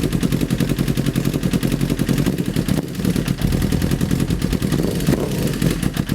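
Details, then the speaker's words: 2008 Honda CBR1000RR streetfighter, rebuilt engine, first start with new exhaust fitted and fluids filled: rapid, hard metallic clatter on every firing pulse at idle, accepts throttle; internal knock, cause not yet found. "that doesn't sound good that sounds very bad"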